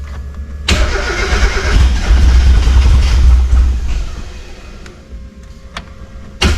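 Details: 1991 Mazda Miata, reportedly knocking when parked, after fresh gas: cranks and stumbles, half catching a few seconds then fading out; lean no-start, fuel reaching the rail but not enough getting through.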